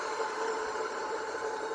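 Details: Wacker plate compactor that runs but won't vibrate: after switch-off a steady recurring whirring tone as the engine winds down, a drive belt slipping on its pulley.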